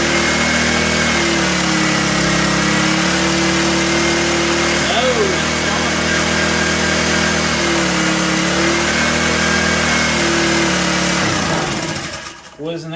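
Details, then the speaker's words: 1984 Honda EM600 generator: the small engine holds one steady, slightly hunting speed with no rise as the throttle is pulled fully; throttle not taking effect. "silliest thing you ever seen I was pulling the throttle all the way and nothing was happening"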